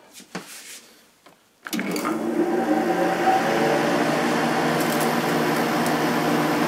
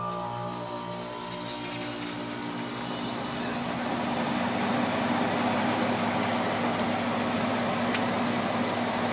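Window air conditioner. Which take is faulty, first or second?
second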